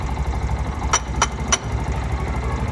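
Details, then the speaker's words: Bajaj auto BS6 CNG, engine idling: three quick metallic scrapes about a third of a second apart, occurring only sometimes; starter bendix spring gone loose, letting the bendix touch the magneto flywheel wheel. "Starter ಬೆಂಡೆಕದು spring ಏನೋ ಹೋಗ್ಬಿಟ್ಟಿದೆ ಅದು ಗಾಡಿ ಏನಾಗುತ್ತೆ ಅಂದ್ರೆ ಇಳಿಸು ಊಟ ಗಾಡಿ ಪಾ ಪಾ ಪಾ ಪಾ ಟೈಮಲ್ಲಿ ಏನಾಗುತ್ತೆ ಅಂದ್ರೆ ಈ ಸ್ಪ್ರಿಂಗ್ ಲೂಸ್ ಆದಾಗ ಎಲ್ಲಾನು ಇವರು ಸೆಟ್ಟಿಂಗ್ ಅಲ್ಲಿ ತಿರುಗಿಸಿದಾಗ ಏನಾಗುತ್ತೋ ಆ ಬೆಂಡೆಕ್ಸ್ ಬಂದಿ ವೀಲ್ ಗೆ ಟಚ್ ಆಗ್ತಾ ಇದೆ ಮ್ಯಾಗ್ನೆಟ್ ವೀಲ್ ಗೆ ಆ ಟೈಮಲ್ಲಿ ಜಿಲ್ಲೆ ಅಂತ ಸೌಂಡ್ ಬರುತ್ತೆ"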